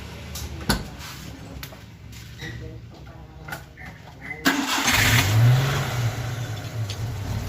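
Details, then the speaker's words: Daihatsu Hijet 1000 three-cylinder: engine cranks and catches, then a light, fast ticking rides over the idle; the tick traced to valve lash set too wide at the rockers, before adjustment. "Nur ini Lur ternyata klep itu terlalu lebar settingannya terlalu lebar jadi ada suara ngelitik ketika mobil dihidupkan setelah kita amati kita dengarkan ternyata suaranya dari krap Lur"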